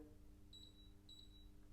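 Two short high beeps a little over half a second apart over a faint hum, the normal control tone of the hob accepting a button press.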